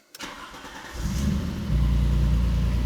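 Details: Alfa Romeo 155 V6 just received for restoration, aftermarket exhaust, started after the dead battery was replaced; it cranks and catches, then settles into a lumpy, uneven idle with an irregular low beat; cause not pinned down.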